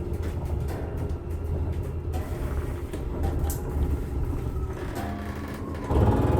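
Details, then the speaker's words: New Alliance RV trailer electric slide-out room extending; steady low gear-motor drone while traveling, then louder ratcheting at full extension as the clutch slips as designed, normal. "So, it looks like it's a electric slide out. Sounds like a rack and pinion."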